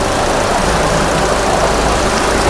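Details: 2017 Maruti Ertiga with company-fitted CNG kit after replacing coil, ECM and number four injector to fix misfire and failure to switch to CNG: steady even idle hum under a loud hiss, no stumbles, running cleanly on gas.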